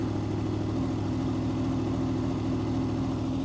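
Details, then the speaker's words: 2005 Honda VFR800 VTEC after turning the right-side idle knob clockwise: even, fast-pulsing idle held at around 1600–1700 rpm, above the manual's 1200 ±100 rpm; idle speed set too high. "So look at that, it's around 1600 RPM right now, or 1700 RPM."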